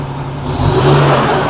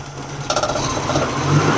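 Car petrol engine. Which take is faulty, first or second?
first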